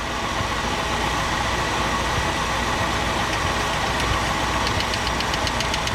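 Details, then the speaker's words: 1967 Ford Galaxie 500, 289 V8 after top-end rebuild, idle: quick light clacking ticks over a steady idle, sharper toward the end, from a loosened rocker with excess valve lash before tightening 3/4 turn past quiet. "All right, you hear it clacking. So then you turn it until it stops, and then you go 1, 2, 3 turns, 3/4 of a turn on each one."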